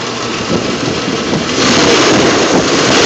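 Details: Jeep at rough, uneven idle with irregular stumbles and puffs breaking the beat, missing on a cylinder. Obvious misfire; owner suspects a shot compression ring, not confirmed.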